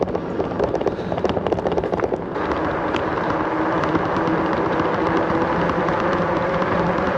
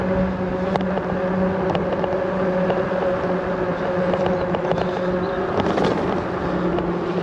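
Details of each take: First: Himiway Cobra fat-tyre e-bike coasting downhill on tarmac: brief freewheel ticking, then a smooth steady mid-pitched hum from the fat tyres; ordinary tread noise, nothing wrong. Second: Himiway Cobra fat-tyre e-bike riding on tarmac: steady tyre and motor hum with scattered light metallic clatters over bumps; rider suspects the kickstand, whose spring may be too weak; rattle over bumps.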